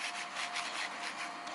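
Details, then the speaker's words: Old bearing from a Bridgeport milling machine Vari-Speed head, spun by hand: gritty, sandy rasp as if full of sand, very rough and worn; replaced with a new, smooth bearing. "I'll just show you the bearing that was in there you can probably hear it's not very good it's like it's got sand [Applause] inside"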